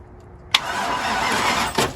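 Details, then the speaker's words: Free old truck after tightening a loose, arcing battery terminal: silence, then strong steady even cranking (in gear); starter turning the engine normally. "Oh, it's in gear. It's cranking though."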